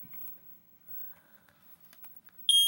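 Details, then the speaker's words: Household smoke alarm tested right after a new battery was installed: quiet room, then a loud, piercing high-pitched alarm tone blares; detector works normally. "Ah! It works. Ah. Okay."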